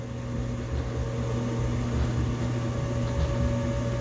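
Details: Loud washing machine after replacing the belt, shock absorbers, drum springs and pump: even low rumble and hum on spin with slight wobble and no knocking, plus a whine rising in pitch with speed; spins normally.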